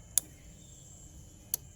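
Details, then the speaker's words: Hyundai Trajet that won't crank, checked at night: two crisp single clicks about a second and a half apart in a quiet cabin as the key turns to start; the starter relay is switching normally. "nah disini pun terdengar ketik-ketik ya kalau rionya itu berfungsi ya starter"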